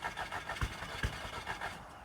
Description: Scirocco cranks but wont't start or stay running. Cranking and killing the battery